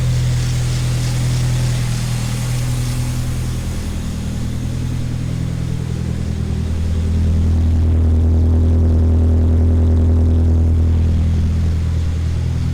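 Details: 1985 Dodge Omni GLH Turbo, Chrysler turbo four-cylinder with aftermarket PCM boost tune, in neutral inside the shop: deep, even idle with a short rise and fall in revs midway; smooth, no knocks or misses.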